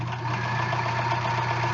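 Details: Sewing machine stitching two layers of pliable upholstery-weight fabric with the same foot and a size 16 needle. Quick, even mechanical ticking with a steady motor hum, no labouring or thumps; it stitches normally with good results.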